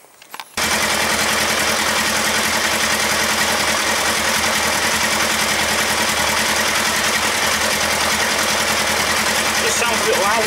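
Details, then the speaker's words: Kawasaki ER-5 twin, just reassembled after a valve clearance check, at fast idle: a loud, uneven thumping beat with gaps as one cylinder, seemingly the right-hand one, intermittently drops out; owner suspects the ignition coils or carbs. "So it's intermittently firing on one cylinder. Shutting it off."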